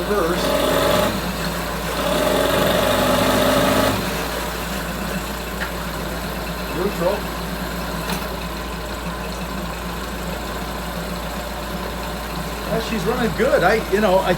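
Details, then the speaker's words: 9.9 hp Mercury outboard after replacing old faulty fuel line that caused no-start: steady, even idle with no misses or surging; normal running. "yeah it's running good i don't see any problem with this full well"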